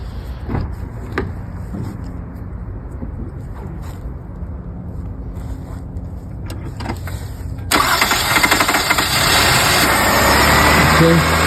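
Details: 2002 Toyota Camry 3.0L 1MZ-FE V6 after starter replacement, first start with battery just reconnected: steady cranking for several seconds, then catches cleanly into smooth idle; new starter works.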